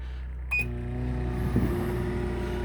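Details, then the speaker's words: RV microwave running off-grid on a 2800-watt generator with the air conditioner switched off: short beep, then steady low mains hum with even fan whir, no stumbling or cutting out; microwave running fine. "you can see we're running our microwave so I can run the microwave but I have to tend the air-conditioning off when I'm running the microwave and it looks like it's gonna run just fine"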